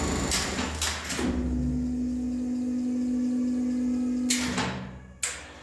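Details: Lift AC motor with a speed switch at its end, possibly from a different lift than the 1969 Schindler: clunks, then a smooth, steady hum for about three seconds before a clunk stops it; normal running.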